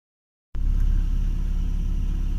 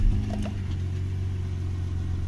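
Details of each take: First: Toyota 1JZ-GE engine running steadily, with scattered sharp crackles and light chirps over the idle; squeak and crackle traced to the drive belt tensioner pulley, which is to be replaced. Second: Toyota 1JZ-GE idling with the drive belt removed: smooth, low, even idle with no squeak or crackle, so the noise lives in the belt-driven pulleys.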